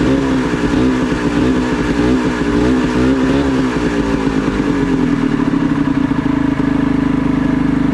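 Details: Previously seized Ski-Doo Mach 1 700 triple two-stroke, cold weather: engine speed wavers and hunts, then sags toward a shaky idle it can't hold. Owner plans to adjust the idle/throttle screw; cause not confirmed.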